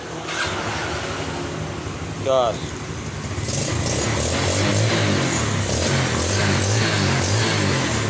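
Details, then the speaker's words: Yamaha Vega R motorcycle with a cold-morning hard-start problem, after carburetor replacement and kicking it five times with ignition off: short starter whirr, then it catches on the first electric-start press and settles to a steady idle; normal start. "pencet motor hidup coba sekali lagi Coba sekarang kita engkol"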